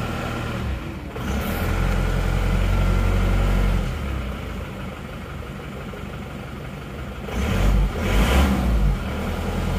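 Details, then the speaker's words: Diesel from Probolinggo just reassembled after blow-by repair, first start after rebuild, which fired quickly. Even, steady idle with a smooth low rumble; throttle blips rise and settle cleanly. Blow-by is gone and it runs healthy. "hidupnya rata suaranya halus kita gas-gas dulu dan yang penting lihat ini sudah engak ngobos lagi"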